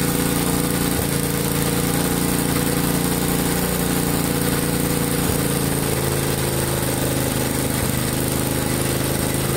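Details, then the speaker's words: 1963 MTD Lawn Flite lawn tractor after all ignition components were replaced: the single-cylinder engine chugs at a steady idle with no knocks or misses, though the clutch does not disengage in gear; normal running. "oh well I was interesting the clutch is not working put it in gear and it just takes off but it's running okay"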